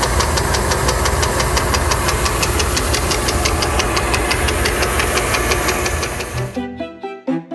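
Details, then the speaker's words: ZF 63IV marine transmission, early-2000s Sea Ray Sundancer with twin 8.1 Mercruiser engines, knocking in one direction only: steady knock about three times a second from a ding on the intermediate drive gear tooth edge, later smoothed with a Dremel. "all right looking at the knock and transmission this is the only thing I can find is there is a bump here on this gear [Music] it's light but it is only on the one Edge"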